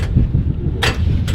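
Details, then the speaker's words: Former police car: two sharp clicks with no cranking, under wind rumble. The starter can't turn the engine. "It's just going to click. That's it."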